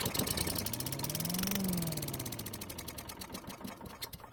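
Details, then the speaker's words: Craftsman chipper vac stored a long time, with new spark plug and gas poured into the carb throat: fast small-engine firing slows and fades within seconds; runs only on the prime, fuel starved by a varnished carburetor. "fortunately the engine started and ran for a few seconds which is great news"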